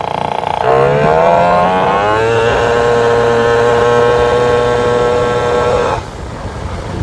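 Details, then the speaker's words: Vento Triton R4 motorcycle, airbox filter off, larger main jet fitted: at full throttle revs climb briefly then hang flat and muffled, very boggy with no pull; far too rich, plug sooty black. "not even pool whatsoever oh really really boggy not good at all so we're just gonna go immediately swap that other one back"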